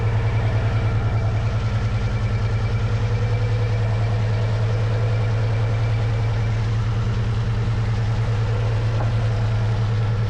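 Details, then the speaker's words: Mustang engine with suspected failed head gasket, plugs fuel-fouled, top-end rattle when revved: deep idle with a rhythmic stumble about three times a second and uneven loping beat; major misfire at idle, cause suspected, not confirmed. "Again, I just want to reiterate, there is still a major misfire. My guess is it probably is a head gasket failure, which we already knew."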